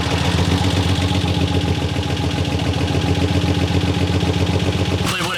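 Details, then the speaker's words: Turbo Territory first start after repairs: idle lopes unevenly, about four pulses a second, loud and rough with the throttle position sensor unplugged; plugging it in makes the idle much better. "I was unplugged, that's why I was running like shit, but seems to be idling way better now."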